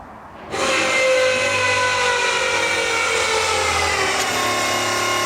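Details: V8-swapped Mazda RX7 fuel system priming, after tightening a leaking fuel pressure gauge, about 60 psi: loud steady high-pitched electric whir of the fuel pump kicking in at even pitch; priming normally, no leaks, pump just noisy.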